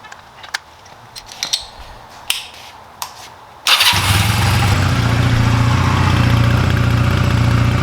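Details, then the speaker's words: 2004 Honda Rebel CMX250C: a few handling clicks, then the engine fires and idles slightly unevenly with a stutter after new spark plugs, still rough with the idle turned down; misfire, and the first new plug was worse. "yeah you can hear there's a little bit of a stutter so let me try the other plug [Applause] so yeah if I turn the idle down you can hear it's still rough"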